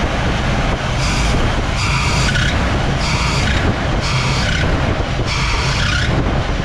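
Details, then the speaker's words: 1959 Chevy Bel Air 348 V8, Rochester 4-Jet, revved under acceleration. Loud roar with shrill squeals repeating about every second: the drive belt slips under load, and the owner thinks it needs a wider belt. "yeah this engine has more power than it squeals the belts when you accelerate it like if i'm if i wind it up in the lower gears the belt will start squealing"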